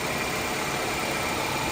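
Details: Toyota warming up before an oil and filter change: steady, even idle with a soft hiss on top and no knocks or misses; engine running fine.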